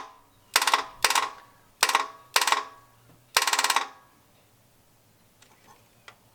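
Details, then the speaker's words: 1980 Dodge short-bed truck with big-block V8, first start attempt in 14 years using power probe: five short starter whirring bursts under a second each, engine never turns over; owner suspects starter shorted out, teeth stuck in torque converter. "i think the starter's bad that's all i can guess something happened and it shorted itself out"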